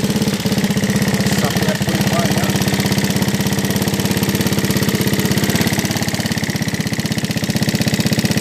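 Rapid, loose, sewing-machine clatter at roughly three ticks a second over a rough idle: something badly worn in the top end.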